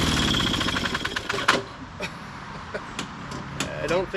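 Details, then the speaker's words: 1998 Ariens 21-inch self-propelled mower (model 911080, engine VLV60), after carb cleaning, a new coil and a new flywheel key: fires in an uneven, stuttering rhythm of pops with gaps, never settling, then dies. Rough running. "I did that I think it died on its own there what sounds so terrible my goodness"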